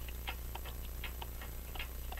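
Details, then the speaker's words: French crystal regulator clock, possibly made by Vincenti, bought as non-running, with an open escapement and jewel-like pallets: crisp, evenly spaced ticks about twice a second with matching tick and tock; the escapement is running in beat. "so I think you can get that sounds like it's in beat come on focus thank you anyway that's the way it works"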